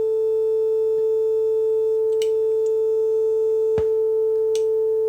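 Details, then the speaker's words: Telefunken Operette 6 radio with added Bluetooth module: steady 400 Hz test tone played via Bluetooth on the left channel, now clean with no buzz or rasp after shorting two output pins on the board, which removed the distortion. "Distortion is gone so I'm now shorting these two pins here on the on the board itself"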